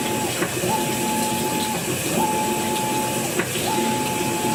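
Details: Brand new Maytag washer agitating: the motor hum rises with each stroke, with sharp clicks at some stroke reversals.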